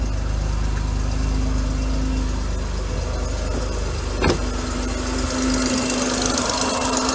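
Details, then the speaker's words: Mercedes W124 300E after EGR valve testing (leaky diaphragm). Steady idle with a faint, uneven light ticking over the engine hum from an exhaust leak at the EGR gasket, caused by one loose bolt, later fixed. "think I need to order a new uh gasket for the VR"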